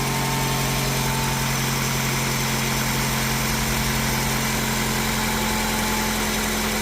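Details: 2007 Toyota RAV4 with hard starting, stalling, a check engine light, and O2 heater, MAF and transmission pressure codes: a steady but lumpy idle at about four beats a second with a slight shake. It runs rough, cause not pinned down.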